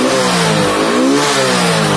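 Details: Hero Honda HF Deluxe motorcycle after repair of stalling when throttle was opened: engine picks up cleanly and revs up and down freely without stumbling or cutting out; healthy throttle response.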